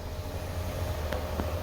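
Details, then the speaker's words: 2020 Ford Edge sunroof shade after replacing the grinding, rattling shade motor and running initialization: low steady hum with a faint even whir as it retracts, no grinding; only the slight normal noise all have. "nope don't hear it that fixed it it's got a little noise back there but they all have a little bit of noise"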